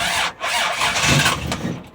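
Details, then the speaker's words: 1965 Dodge Dart, 225 cid Slant Six, cold start, fresh gas, choke turned down; short cranking bursts that catch and stumble without steady idle; hard starting from distributor cap with disintegrated carbon centre electrode. "Alright guys and gals, I found out what the problem was. Why I was having such a hard time."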